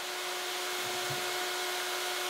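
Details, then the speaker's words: Engine off, only the Mod Max electric thermo fan running, measured at about 74–81 dB against a 37 dB background. Strong, even rushing air with a steady mid-pitched motor hum and no rattle or wobble; normal fan operation. "I'm not going to start the car I just want to hear how loud the thermo fans so stop talking"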